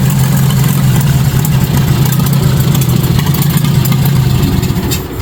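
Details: 1953 Farmall Super A barn-find tractor starting for the first time after carburetor cleaning (jets cleaned, stuck float freed, bottle-fed fuel): engine fires steadily at a quick, even idle with a low, uneven chuff, no knocks; running fine.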